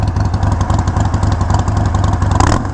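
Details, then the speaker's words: Harley-Davidson Iron 1200 V-twin with Vance & Hines slip-on exhaust, started and blipped. A deep, loping beat settles into a fast idle with strong, even firing. Normal V-twin startup and revving with aftermarket exhaust. "it does those amazing that sounds amazing that sounds so rowdy it's so deep it is such a deep throttle"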